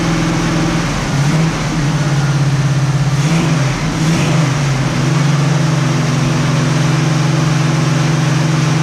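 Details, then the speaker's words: 1967 Camaro SS clone V8, first startup after revival on a couple gallons of gas: deep, even idle with one brief throttle blip settling straight back; ran good, nothing concerning yet. "we had a very successful first startup it ran good sounds good not really anything to be concerned about as of yet"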